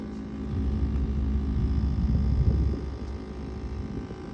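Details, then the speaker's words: Refrigerator condenser fan at the back, cover removed, clogged with dust, lint and grease: loud steady low hum with rough rumble coming from the fan, before cleaning. "see this fan right here see all the dusty lints and stuff see that that's where the sound coming from"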